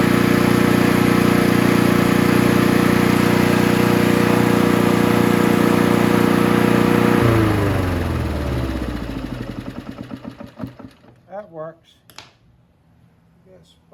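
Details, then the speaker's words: Honda HR17 push mower, flathead single-cylinder, probably early-to-mid 1980s, after fixing kill switch ground: thumps along evenly at steady speed, then kill switch cuts it and it coasts down smoothly; normal running. "runs really well really surprised uh it runs as good as it does the way that c r was"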